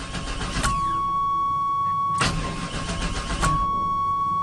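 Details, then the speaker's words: 1996 Chevy Tahoe bought sight unseen, with bad old fuel, sprayed with starting fluid: key chime beeping, then repeated cranking that nearly catches and kicks back but never runs; crank no-start, old fuel suspected. "should we spray it again it's stinking it's wanting to but it's not wanting to it's not happy it's far from Happy"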